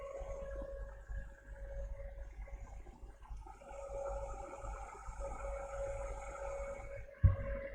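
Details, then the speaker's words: HP PS-4241-1HD power supply after seized-fan repair, switched on by shorting green wire to ground: quiet steady fan hum, even tone, no rattle, scrape or wobble; 12 V stable, fan spinning smoothly. "And yeah, as you can see, it runs really good. 12 volts, stable, and the fan is spinning really good."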